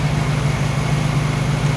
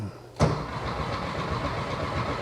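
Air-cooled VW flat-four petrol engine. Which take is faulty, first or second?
second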